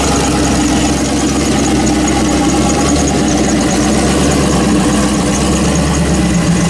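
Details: Built turbo LS V8 in 1974 Chevy Caprice, first start after Holley dual fuel pump upgrade with no fuel leaks and fuel pressure showing; deep, steady idle with even rumble, no miss; settling fine.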